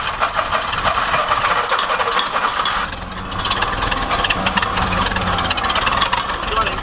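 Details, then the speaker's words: Roller packer engine at an abandoned racetrack, choke ineffective, carb possibly flooded, choke left open: ragged uneven running that sags and dips; stumbles and won't keep running, carb cleaning suspected. "maybe it does need carb work that sure sounds like it cause he was running and i was over here yeah it's like i could kind of keep it running but it wasn't gonna go"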